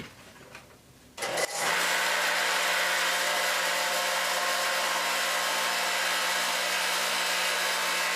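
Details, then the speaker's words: Industrial-grade 3/4 HP 3750 rpm electric motor, replacing a weak pool pump motor, driving a 6-inch chain mill without chains fitted: spins up in about a second to a steady, even whir with constant hum and no grinding. "That's a high-speed motor. It's 3750. It's not the slower 1800 RPMs. This is in industrial grade."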